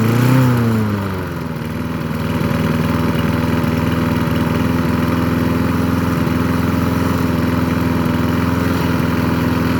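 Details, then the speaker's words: Craftsman 22-inch push mower, Briggs & Stratton 6.0 float-bowl engine, after carburetor cleaned three times and previously syringe-fed fuel: brief rev then steady even putter, no misfires or surging, little smoke; running well. "the end she's a runner that motor sounds pretty good too"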